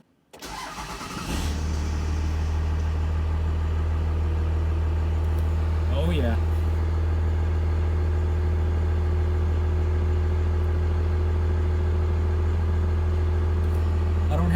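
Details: 1997 Dodge Ram 3500 5.9 12-valve Cummins at about 42°F, hard start after sitting, after new lift pump fitted and primed: short crank, fires right up into a steady, even idle; normal start and idle.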